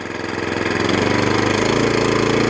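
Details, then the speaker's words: Suffolk Punch 14SK cylinder mower engine, still cold, after carburettor clean and service to cure hunting: climbs smoothly from idle to steady, even full-throttle buzz with no hunting or stumbling; normal full-throttle running. "Yeah, idle's down lovely, and back up to full throttle again."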